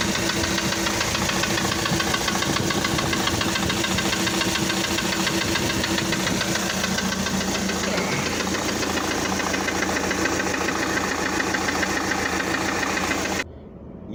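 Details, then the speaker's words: Diesel engine on a prospective motorhome under pre-purchase inspection: steady run with an uneven knock about three to four times a second, located low in the block near the crankshaft. The lower-end knock is not normal even before the engine reaches temperature. "se va a escuchar claramente un golpeteo del motor en marcha si ustedes les prestan atención al vídeo se va a notar claramente cuando movemos la cámara de arriba hacia abajo que el golpe está bajo"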